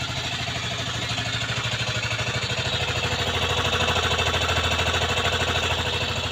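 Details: Aprilia Leonardo 125 scooter after long storage: steady single-cylinder putter about three beats per second, swelling gently as throttle rises; engine now runs cleanly.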